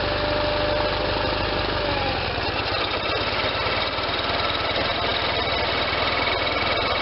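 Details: Case Ingersoll 448 hydriv garden tractor with twin-cylinder Onan engine, running after installing a fully rebuilt N46 mower deck with a new belt: steady idle with an even low throb and smooth deck whir, nothing knocking; belts tracking well.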